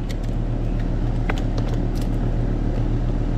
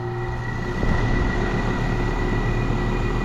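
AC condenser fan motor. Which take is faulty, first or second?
second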